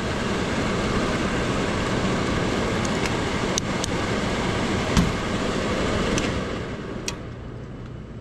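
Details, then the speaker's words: HVAC with heat strips and current switch: steady blower rush with sharp irregular clicks as the heat relay coil gets 24 volt power once airflow is established; heat relay clicking normally. "and you can hear the clicking of the heat relay as it the coil gets that 24 volt power"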